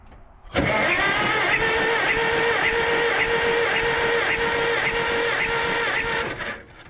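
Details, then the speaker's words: 1951 Farmall M tractor, throttle wide open, cranking for compression test after plugs 3 and 4 found sooty: steady even starter cranking with matching pulses; about 115-130 psi on all four cylinders, compression good. "so the compression is good on all four cylinders that is not what I was expecting"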